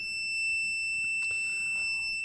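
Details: 2015 Nissan Juke in limp mode with cluster warnings lit: continuous loud high-pitched warning beep starting once the scan tool is plugged in, scanner failing to communicate; cause not yet traced.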